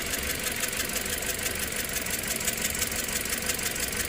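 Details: 2009 Toyota Corolla 1.8L, P0304 cylinder 4 misfire, suspected burnt valve, heard at idle with hood open: uneven idle with sharp tick about three times a second, sounding like valve train issue; misfire from head gasket leak between cylinders.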